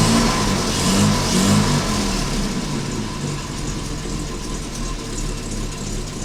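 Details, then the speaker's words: Jaguar Mk2 (budget build), first start in years with automatic enrichment device removed: engine catches and runs with a steady mid-pitched burble, revs easing down, no misfires or knocks; normal running. "Okay, she's a runner. I hope that keeps the Mark II guys happy."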